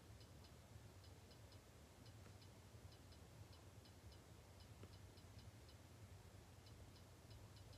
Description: short video on what a read write head sounds like on a external hard drive